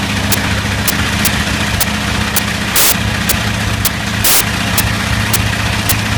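Steady deep radial drone with a couple of brief stumbles around three and four seconds in, consistent with a slight misfire.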